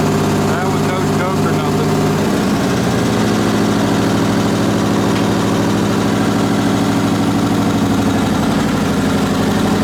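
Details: Onan BF-MS 16hp twin with DD11 carb, after the pulse fuel pump was rebuilt: steady, even low drone with no misses or knocks. No leaks after a day, slight smoke on startup, ran fine half an hour, slightly low on oil.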